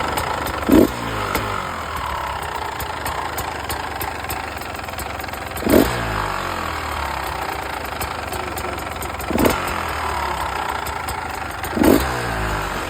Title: Beta 300 RR 2015 rattling noise #beta #beta300rr #2stroke